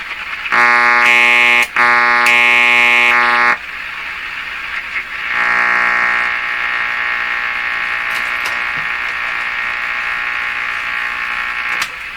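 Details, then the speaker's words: Hallicrafters S-40A shortwave receiver during RF alignment: a loud, harsh alarm-like buzz in two bursts, then a steady drone under the reception. This is interference from a nearby shop power supply and light. "That sounds like something in my shop here. Is it this light?"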